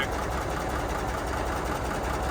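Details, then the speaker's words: 1985 Freightliner cabover diesel idling after overheating on a loaded hill climb; steady dense clatter over low rumble, more than before, not a knock, with new blow-by; loud air compressor may contribute. Cause unconfirmed. "the truck almost it sounds a little more clattery than it ever did before I don't know if you can pick it up here it's not real bad like not like an engine knock or anything"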